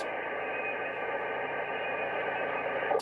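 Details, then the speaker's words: Mobile radio set up with a large antenna for static mobile use: a constant rushing hiss, cut off above the voice range, with a faint rapid buzz under it. Persistent interference noise is wiping out the distant stations. "when conditions allow it's like i say this noise doesn't seem to be dropping anytime soon and it's it's wiping like the distant stations out which is a shame"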